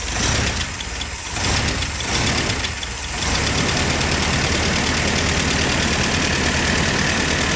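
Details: Jeep Willys started after 15 years without running, fuel system cleaned from tank to carburetor, no choke: engine catches first try and settles into a steady, even idle with no knocks or misses; normal idle.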